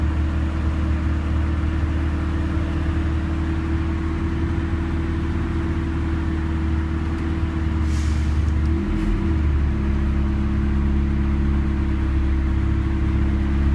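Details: 1991 Honda Civic with a Matsushita AC compressor, after the fix: a wire getting only about 75% of alternator power was connected directly to the battery, giving 14 V. The compressor now cycles smoothly over a steady idle with no more rapid ticking.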